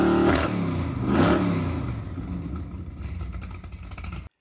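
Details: 1963 Ford Galaxie 500's freshly built dual-carb 390 Ford V8 bored to 397 (about 500 hp) on the run stand, carbs not yet adjusted: blips up hard, falls back to a steady lumpy beat, then shuts off; no knocks or rattles, running fine.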